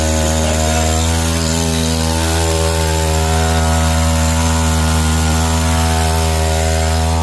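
Chainsaw holds a strong, steady high-revving note while cutting, with no sputter or dropout; it is running normally.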